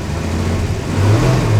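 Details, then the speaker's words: Dodge Dart Swinger 225 Slant Six, revived survivor: deep even note rising smoothly when revved, no bearing knock, ticks or rattles; oil leak noted and oil-pressure light on at idle, pressure to be gauged. "The oil leak could be a problem. It's not making any bearing noises. Nothing sounds loose."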